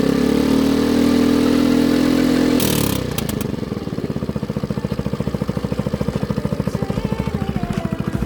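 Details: Baotian BT49QT 50cc Chinese four-stroke moped, run after its carburetor was cleaned and after long starter cranking: a rough start, then an even putter of about three pulses a second, running smoothly and steadily. Normal running.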